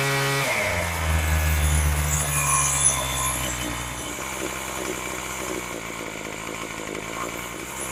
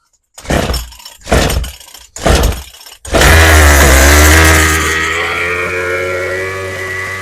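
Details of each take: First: Craftsman 27cc string trimmer after Zama carb rebuild, new fuel lines and mixture and idle screw adjustment. Quick rev, then it drops to a steady, even idle with no hunting or sputtering; carburettor set right, normal idle. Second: Craftsman 27cc string trimmer after Zama carb rebuild and new fuel lines, high and low mixture screws set at 1 turn out. Three pull-start tugs, then it catches and screams high, slowly sagging and unsteady; runs briefly, mixture still needs adjusting.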